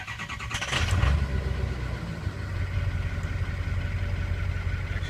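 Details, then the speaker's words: 2003 Ford 6.0 Powerstroke diesel with injector stiction, treated with Rev-X, about 60°F morning: short crank, catches cleanly and settles into steady even idle with no misses or knocks; running good. "sounds pretty good it's running good there"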